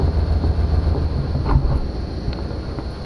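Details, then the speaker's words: 1991 Chevy Caprice, 5.7 throttle-body V8, auction car restarted after running out of fuel: deep, even low rumble at idle, steady beat, no misses or knocks; normal idle on all eight cylinders. "sounds good sounds like it's running on all eight"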